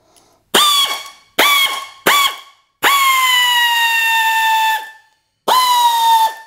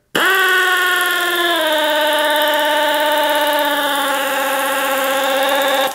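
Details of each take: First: Air ratchet that had lost power, after cleaning debris from the air inlet screen and refitting the inlet: five sharp bursts of high whine that spin up instantly, one held about two seconds at steady speed; full power is restored. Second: Air ratchet with severe loss of power and torque, running on shop air before cleaning: steady buzzing whine that sags in pitch and stays slow without picking up; airflow starved by debris clogging the inlet screen.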